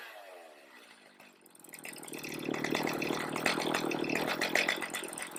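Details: Stihl MS310 chainsaw after next-day carb adjustment (limiters on, H and L at middle, idle set, H for max rpm with slight burble): climbs from quiet idle to high crisp scream with faint four-stroking burble, running rich enough; healthy.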